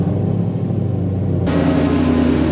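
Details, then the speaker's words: Cammed Whipple-supercharged GT500 V8 first cold start after 6 months winter storage, fresh oil and filter; heavy, slightly choppy idle still finding its speed as the cam makes it slower to settle; normal cold start idle. "the car's been sitting for a long time. It's got to figure out its idle. It is cammed, so it takes a little bit extra time."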